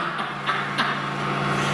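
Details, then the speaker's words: Old Heidelberg printing press (circa 1950-1960), motor first start after rewiring, speed controller turned up: steady low even hum, motor gets quicker, no surging or grinding; motor and speed control working normally. "Well, there we go, it's working. This is the speed controller, so, well, that's theory, let's see that. And the motor gets quicker. Okay, so the motor's working, speed control's working."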